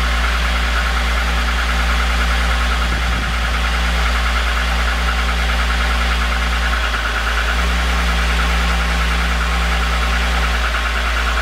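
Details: VR6 engine at steady idle with an irregular knocking tap over the low drone throughout; owner suspects piston slap, not confirmed.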